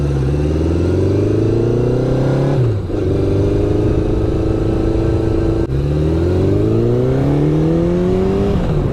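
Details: 1972 Honda CB750, after carb rebuild and sync, ignition repairs and cleaned contacts, on test ride: four-cylinder pulls cleanly through the revs, pitch rising then dropping at each shift, no stumbles or cut-outs; running much better, idling well.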